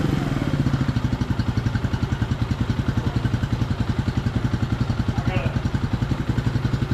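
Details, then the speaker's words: 1999 Suzuki DR200 single-cylinder, 796 miles, revived after sitting nearly a decade, carb untouched: steady even thump at fast idle with slight throttle, no misses or knocks; running cleanly. "burning some [ __ ] off, but it's got 796 miles on. So, we put 40 miles on it. Sounds good."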